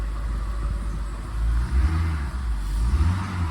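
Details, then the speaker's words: 2008 BMW 550i 4.8L V8 automatic with a no-start fault: after the shifter is worked, normal operation returns and the engine cranks, catches promptly and settles into a smooth, even idle with a light blip, no misses; normal start and idle. "una vez yo juegue con ese shifter é regresa toda la normalidad pero é prende si quieren lo pueden escuchar prendido"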